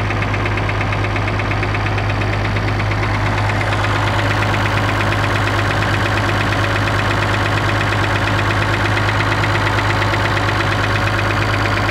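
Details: Perkins T6.354 M marine diesel running steadily with a regular, hard engine knock, about three per second, over its low rumble.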